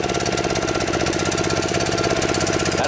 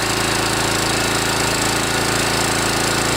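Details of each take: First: DR TR-1 trimmer with Kawasaki FC150V 6.75 hp engine, stored too long: rough single-cylinder chatter that idles but won't rev up; plugged carburetor main jet, with slow-speed circuits still working. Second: Kawasaki FC150V 6.75 hp engine on a DR TR-1 walk-behind trimmer after carburetor cleaning (main jet, float needle valve), warmed up and revved; strong steady fast beat with no stumbling or surging, running properly.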